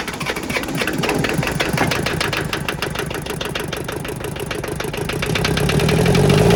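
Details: Kubota L285 4-cylinder diesel tractor, sat outside 8+ years, injectors bled of air and retightened: cranks, catches and settles into an even chugging idle about four beats a second, picking up slightly at the end; runs cleanly.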